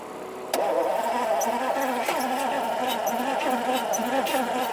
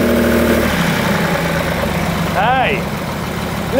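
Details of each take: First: 1971 Lamborghini Espada Series II V12 barn find, long stored, running on a non-standard fuel pump with leaking fuel lines: an even starter churn that never catches; it nearly fires but doesn't start, flooding a little. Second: 1971 Lamborghini Espada Series II V12 barn find, first run after revival: steady even idle with soft settled rumble, no knocks or misses; surprisingly quiet and placid, a few earlier pops and bangs.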